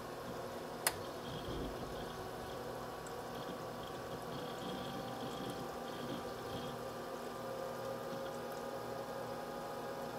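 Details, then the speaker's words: H220 liquid CPU cooler pump running steady at 2947 rpm, near max, with no case or radiator fans so coolant and reservoir are warm, side panel off; faint soft whir with light water trickle, no grinding or rattle: normal pump operation. "right now it's running at a steady 2947 rpm it's pretty much maxed out right now"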